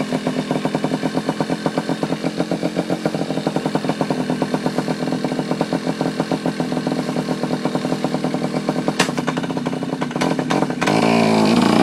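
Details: Yamaha Chappy two-stroke after HPI ignition install, stator had been shorting to the case, owner suspects too many grounds: crisp ringing putter about four pops a second, clean firing, briefly picking up near the end; now running normally.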